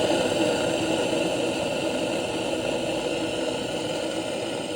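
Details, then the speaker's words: New aerobic septic system aerator air compressor running: steady smooth whirring hum with airy hiss, drawing air well, no squeaks or rattles, unlike a failing unit with loose bearings. Normal running. "then finally that new aerator sounds really smooth and it's sucking in air perfectly."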